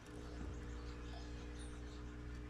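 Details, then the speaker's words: Kolin KL-06-B 6 A, 6/12 V linear battery charger, damaged after being connected to a battery with reversed polarity: no output, no indicator light, loud steady transformer hum from a shorted secondary (shorted rectifier diodes) that could burn the transformer. "Umuugong. Umuugong yung transformer natin. Okay. Umuugong yan kasi sa syempre shortage yung sa secondary niya. So pag pinabayaan mo yan, susunugin yung transformer natin."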